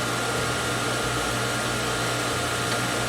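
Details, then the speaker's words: Outdoor garden water pump after repair with new wall hydrant and pressure switch: steady even motor hum with constant whine, no knocking or surging, building pressure to about 55 psi cut-off; no leaks, running normally. "fifty three [Music] fifty five it shut off that so that's good what's it turn on 40 so 35 to 55 so that's good i'd rather higher than lower so i like that it doesn't appear to be any leaks that's good"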